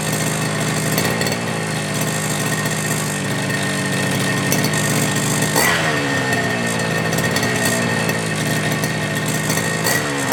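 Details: FG Marder petrol RC car, two-stroke, started without choke after repairing the front end and adjusting the brake/throttle linkages. Steady buzzing note with a brief dip and recovery mid-clip, no misses or surging; engine running healthy.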